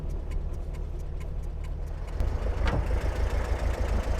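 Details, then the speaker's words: 1955 Porsche 356 Pre-A Speedster with Zenith carburetors idles rough and lumpy at the roadside during a shakedown drive, about three stumbles a second; owner suspects a lost cylinder, checking spark plug wires then carburetors; cause unconfirmed. "All right, let's find out what's going on back here. Okay, so it sounds like we lost one of the cylinders."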